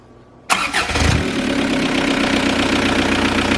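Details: VW TDI diesel in a Toyota pickup, just after diesel purge of injection pump and injectors, lift pump relay refitted: brief crank, prompt catch, steady even diesel clatter at idle, no misses; normal start and idle.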